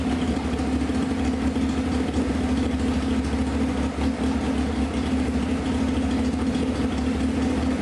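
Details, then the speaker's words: 1995 Honda CBR F3 just revived, being put in gear: a steady low idle with a faint uneven drag. The chain is very tight from rust, binding the drivetrain, and is to be loosened; the cause is suspected, not confirmed. "Chain's so damn tight because of the rust. We're going to loosen the chain up."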